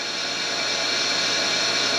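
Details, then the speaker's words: Deep well jet pump after replacement, valves closed to fill the tank, regulator refitted: even steady whir with a faint high tone, no surging, rattling or grinding, sounding better at higher pressure. "sounds better when it gets a higher pressure that's for"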